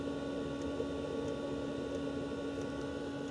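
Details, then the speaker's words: Planar/Autoterm 2D 12V diesel heater in a Microlite Cargolite camper, first test fire now burning and warm: low, steady hum with a faint constant whir, no surging or knocking. Normal running. "I'm feeling heat sounds like a jet engine taking off uh it's one warm very good"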